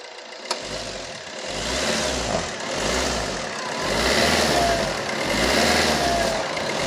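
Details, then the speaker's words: Fiat Linea Multijet diesel, after MAF sensor cleaning (following a month in the workshop): smooth, even revs rising and falling with no stumbles or hesitation; the earlier complaint no longer appears, engine sounds healthy. "അപ്പൊ നല്ല smooth ആയി engine ഒക്കെ നല്ല smooth sound ആയി"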